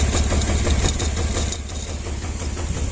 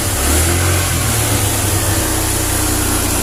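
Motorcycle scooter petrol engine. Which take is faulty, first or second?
first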